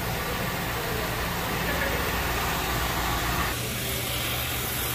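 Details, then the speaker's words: 2004 Lincoln Town Car V8 after exhaust manifold replacement: smooth, quiet idle with soft even rumble; the earlier exhaust-side tick and tap is gone, so the timing cover needs no work. Normal idle. "it sounds way better now with the new exhaust manifold super quiet yeah all that tick and tap that was going on before the exhaust hits that's all gone"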